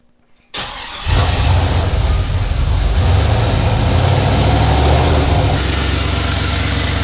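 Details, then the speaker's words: Chevy S10 with L33 turbo LS V8, first cold start after junkyard piston replacement: starts quickly, settles to steady idle with faint puffing tick over exhaust note from a V-band clamp; exhaust leak. "Actually sounds pretty good, except it sounds like I have an exhaust leak from this V-band clamp here."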